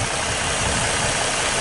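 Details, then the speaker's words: 2013 Ford Mustang V6, 38,500 miles, stock except permanent air filter, water pump replaced, under hood: smooth even idle with injector clatter, no miss, knock, ticks or belt squeal; healthy. "you can see that it's not missing there's no engine noise or knock you can just hear the injectors clattering everything's doing its thing"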